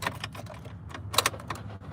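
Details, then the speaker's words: 2016 Isuzu NPR, new starter damaged after someone crossed the starter terminals to jump it from underneath: with the starter unhooked, turning the key still gives quiet, irregular rapid clicks and chatter, no cranking; mechanic suspects the ignition, not the starter. "Oh, wow, still making a noise. Man, that's the craziest thing ever. The craziest sound again. I don't think it's the starter this time, though."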